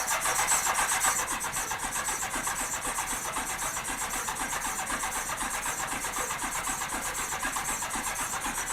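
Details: 1987 Honda GL1200 Goldwing not started in many years, battery at 12.74 V, choke lever not working, cold engine in cold weather; steady starter whir with even compression pulses, never catching while filling the carb bowls; cranks but no start.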